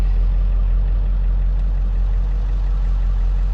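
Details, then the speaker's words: 2002 Ford F350 Powerstroke diesel that idled with no throttle response and dead gauges, now gauges working after unknown fix: steady low diesel clatter at idle, even with no stumble or surging. Normal idle. "like that solved it"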